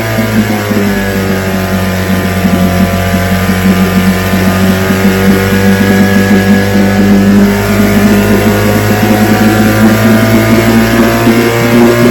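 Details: Vintage outboard two-stroke (restored, then repaired) started Wednesday morning with fuel on, full throttle and no prime, firing on the fifth pull: constant rapid crackle at steady speed, no misses, surging or knocks; it ran five minutes, showing adequate compression.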